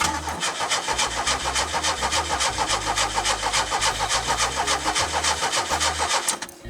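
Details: 1984 Pontiac Fiero with a swapped ECM, fuel pump heard: steady rhythmic cranking about three and a half turns a second for six seconds, never catches, battery running down; cranks but no start.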